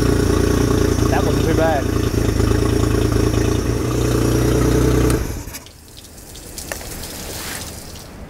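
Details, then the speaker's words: 2004 Honda BF40 four-stroke outboard, previously sunk, after repairs, first start with fuel: runs with a steady, even beat for about five seconds, then shuts down cleanly, no knocks or misfires; normal running. "I got to say I'm pretty stoked about that that was literally the first time I'd turned the key in Anger with fuel on"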